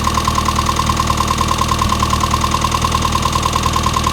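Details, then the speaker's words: Chevy Luv after turning the fuel screw about an eighth to half a turn to cure a slight misty run: steady, even idle with a soft regular pulse and no misses; sounds better, normal idle. "that sounds better already a half a turn or about an eighth of a turn"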